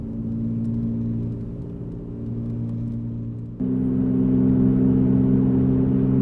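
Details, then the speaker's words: 2007 Jeep Grand Cherokee 4.7 L on a road test: steady low droning hum that grows louder with road speed and changes when swerving, traced to a worn driver's front wheel bearing, later replaced. "let's do a little swerve here wow it is definitely the driver's front wheel"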